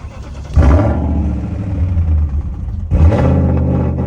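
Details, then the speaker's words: 1996-2003 BMW E39 5-series after fuel pump replacement, primed in accessory mode, battery weak: brief crank, fires promptly and settles to smooth, even idle, same on second start. Fuel pump was the fault; normal engine start. "Give it a little time. Yeah, now it's good. There we go. All right, it was the fuel pump."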